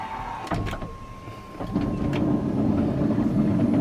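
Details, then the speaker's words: 2023 Toyota Sienna Braun wheelchair conversion van: click, then smooth, steady motor hum building as the ramp folds in and the power door closes via the open/close button; normal power door and ramp operation. "On right over here, you press open or close, open, and that'll retract the door and the ramp will come out."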